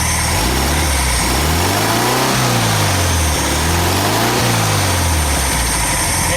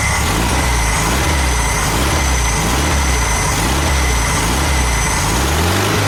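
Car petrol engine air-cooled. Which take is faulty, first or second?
first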